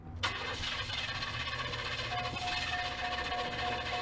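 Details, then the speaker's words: Car that broke down and was towed home; needs some gas to start, then runs busy and slightly uneven with a faint tone on top, not running right after a hard start. "you got to put a little bit of gas to it and then it doesn't run exactly right"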